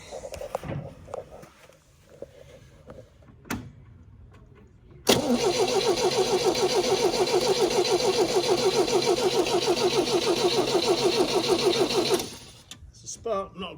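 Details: MGB GT garage find first start after 20 years in hibernation: starter churns evenly about three turns a second for seven seconds and the engine never catches; weak ignition spark suspected, not confirmed, and the points were then cleaned.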